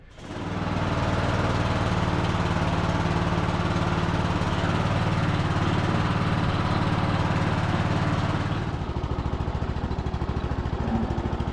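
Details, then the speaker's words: Cub Cadet LT1045 riding mower after replacing a drive belt that had a chunk missing: steady drone, quiet transmission, no more banging, only a faint squeak possibly from a pulley or tensioner. "all right feels good though transmission sounds quiet I think one of those pulleys or maybe the tensioner has got a little squeak to it though I can still hear it but it's not making that horrible banging sound it was before so we had a chunk Miss out of the belt"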